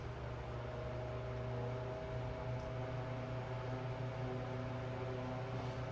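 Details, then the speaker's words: Old Westinghouse A010-1 desk fan rescued from the roadside, cleaned and fitted with a replacement cord, test-run at full power with the blade loosely fitted; quiet, even motor hum without ticking, rubbing or wobble, good air volume, runs normally. "Looks like at full power, it's pretty good air volume. All right, so it works."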